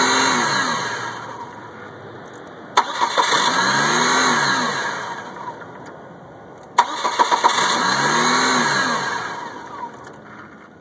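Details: 1998 Chevy Cavalier that only starts in hot, sunny weather: two cranking attempts of about four seconds each with even compression beats, engine never fires; cranks but won't start.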